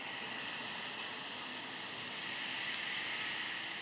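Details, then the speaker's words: Netatmo Presence outdoor security camera whose light has died: a faint, high-pitched chirp over a steady hiss from its partly failed power supply; the camera still works but there is no IR or security light. "the camera can hear the beeping of the power supply so um the power supply has partially failed"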